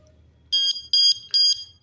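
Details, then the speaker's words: Bigniu BGX disc brake lock alarm set off by moving the bike: three sharp high-pitched shrieks, each about a fifth of a second, under half a second apart; disarmed with the key. "And you can disarm the alarm by doing the key. Once you do the key, then it shuts it off."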